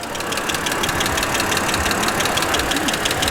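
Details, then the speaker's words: 2008 BMW X3 3.0L, warm idle, heard under the hood: light fast ticking about three per second, fairly steady, valvetrain-like; cause not determined. "definitely got some kind of clicking sound going on if you can hear it you know any anybody listening to that's gonna say okay what does that sound and why is it clicking"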